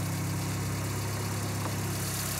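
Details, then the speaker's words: Ford Cosworth turbo engine rough at idle after a slow drive, with a dull metallic knock in the drone. A failing rod bearing is suspected, meaning fatal engine damage that needs the engine lowered and opened and the crankshaft out. "Ich hab schon so komisches Geräusch gehört. Ja, ich glaub irgendein Lager oder irgendwas."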